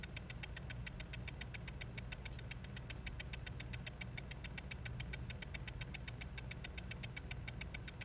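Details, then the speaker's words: Mac mini hard drive, recorded with a phone placed on top of the case: sharp, steady ticking about four times a second over a low hum as the failing drive's read head hunts for a track it cannot read. "and then you'll hear some ticking sounds and those sounds i'm pretty sure are caused by the read head moving back and forth looking to see if it can find the track that is trying to read"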